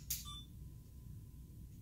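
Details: DJI Osmo+ gimbal powered on with pan and tilt unlocked: sharp click, one brief high chirp, then only faint room hum; normal startup, no periodic beeping from a locked gimbal.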